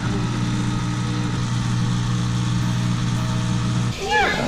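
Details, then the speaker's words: Kenmore washing machine after the owner disassembled, cleaned and reassembled it. A steady low electric hum holds for about four seconds, then cuts off cleanly: the drain pump is running normally. The fault turned out to be electrical, not a blocked pipe. "so far so good that sounds like the dread the pump thingy"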